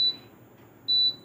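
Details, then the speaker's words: Bajaj Splendid induction cooktop with a no-heating fault, tested from standby during repair. Two short, clean high beeps about a second apart: the normal pan-detection chirp. "इसमें बर्तन sense करने की आवाज़ आ रही है।"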